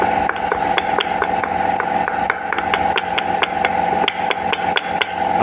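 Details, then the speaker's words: Fiat Idea suspension: sharp hollow knocks about four a second as the broken plastic strut top mount bangs against the strut, sounding like everything is loose; mount to be replaced, spring plate reused. "esse barulho faz lá isso aqui é chato cara eu não sei porque que os Car desenvolveu esse negócio aqui de cima de plástico tá ele estraga não tem jeito aí ele pega e faz esse barulho parece que tá tudo solto"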